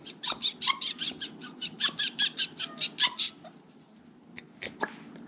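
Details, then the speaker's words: Late-2021 Royal Enfield Meteor 350 Bybre brake caliper: rapid high-pitched squeaks about four a second as dry, ungreased slider pin is worked back and forth; to be greased. "And obviously I'm going to grease it now anyway. That's how dry that is. Hear it squeaking."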